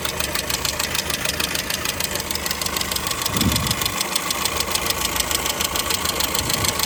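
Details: 2002 Skoda Fabia petrol engine idling with a steady knock about three times a second over a hissy background. The owner asks what could be knocking; source not identified.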